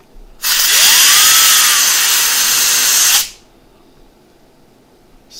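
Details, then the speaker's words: HP Pavilion G6 laptop (Windows 8.1) with reported overheating and debris knocking the fan, after blowing the trash out: smooth high whir spins up, holds about three seconds and stops, with no rattle; normal fan running. "rattling anymore which is a good sign very good sign"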